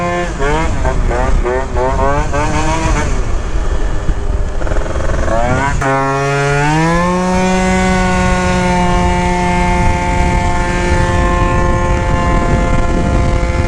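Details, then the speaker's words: Yamaha Jog scooter with Stage6 70cc kit and taller gears, riding from about 25: revs climb in steps then settle flat under load; lean bog on punch and clutch engages too early, lighter roller weights needed. "sounds like it has a little bit of a lean bog right there when you punch it plus the clutch is just engaging a little too early so it's not it's not engaging at the right RPM"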